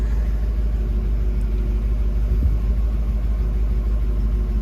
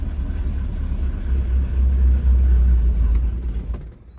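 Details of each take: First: 1966 Ford Mustang convertible cold start: one pedal pump failed, two pumps fired it up. A steady, even, low rumble at a raised cold fast idle with no stumble or hunting shows the choke working properly. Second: 1966 Ford Mustang convertible with carburetor, cold start after only one accelerator pump: it catches, rumbles unevenly for a few seconds and dies. Two pumps later fired it right up with the choke working. Engine stalls after cold start.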